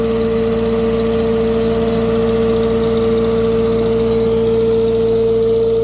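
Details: 1948 Farmall C tractor, former parade tractor, on a dyno under load warming up: steady drone with sharp puffing tick each firing pulse, about four a second; owner says cracked exhaust manifold, white metal-filler residue around it from an earlier repair attempt.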